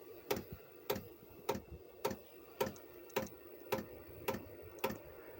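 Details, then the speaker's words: Chinese diesel air heater that lost heat and threw E10: evenly spaced pump ticks about every 0.6 s, fuel moving through filter and pipe yet no heat, owner says no fuel reaching fire; suspected contaminated diesel. "it's still lit because it's not getting any heat and it's not getting any heat because as we know there's no fuel going into the fire"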